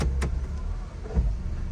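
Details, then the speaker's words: 2004 Honda CR-V, before mount repair, shifting into reverse and drive while holding the brake and tapping the gas: low rumble with a dull clunk as the engine lurches and jerks, vibrating badly in drive; broken transmission mount. "I'll put on the reverse you can hear that clunk noise see the car is jerking back and forth"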